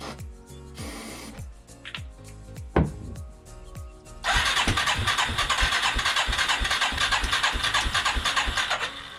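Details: 1989 Yamaha Moto-4 350 ATV rebuild, first crank after draining old fuel, refilling with ethanol-free 90 octane, mixture screw reset from 3.5 to 1.5 turns out, choke on: starter churning about three beats a second, no steady run; cranks but won't start.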